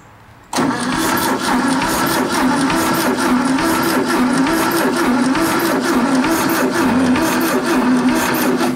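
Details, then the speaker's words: Garage-find VW bus engine on a spark plug check: even starter chugging of about four beats a second with no firing at all; it cranks freely but gets no spark, points suspected dirty and filed clean afterward. "I don't see nothing so uh I'm going to go uh pop the cap open we'll look inside there see what that looks like"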